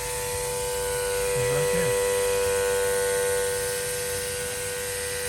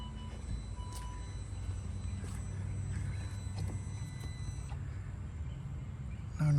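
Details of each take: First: 2009 Saab 9-3 Aero XWD engine bay: loud steady siren-like whine over the running engine from a leaking vacuum pump line feeding the brake booster; planned fix is trimming the line and refitting it. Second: 2009 Saab 9-3 Aero XWD idling with an even low rumble and no whine, after the leaking vacuum pump line was temporarily repaired with fuel line, band clamps and O-rings.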